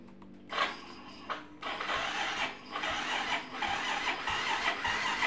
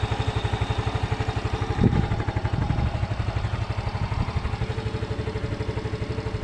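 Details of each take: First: Yamaha Mio M3 scooter with good battery: electric starter whirs weakly in short bursts but the engine won't fire, though it starts on the first kick; owner suspects a compression leak, not confirmed. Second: Yamaha Mio M3 scooter that won't start on the electric starter but starts first kick; steady idle, about four firing pulses a second, running evenly, normal; owner blames starter motor brushes or dirty armature.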